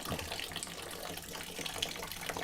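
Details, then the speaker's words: A.O. Smith water heater, fully hooked up and topped off, hot outlet hose aimed at a bucket: only a thin quiet trickle instead of a full gush despite good supply pressure; the outlet is choked, and the manufacturer refused a warranty return. "Because we've had it completely hooked up, and this is basically what we're getting, a trickle."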